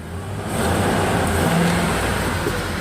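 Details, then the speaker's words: Ford 4.6 V8 after fixing and re-welding the exhaust manifold EGR tube; steady, quiet hum rising smoothly with a light throttle, no ticking or pup-pup exhaust leak puffing remaining. Normal running. "and the engines running and it sounds great I have no more pup-pup sound and we give a little bit of gasoline here and you can hear the engine see pretty quiet"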